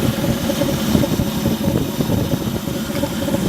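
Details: Stock 1983 AMC Eagle, automatic, 35,000 miles, with the air filter off: an uneven, lumpy idle with stumbles and a hollow intake rasp. It wants to die at stops and needs gas when first started; the cause is unclear.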